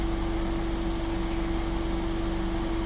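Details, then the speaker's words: MiniVan at idle with coolant at 108 degrees: steady whooshing roar with a constant hum as the radiator fan kicks in; both fans work normally. "Les deux fonctionnent donc en fait c'est bon."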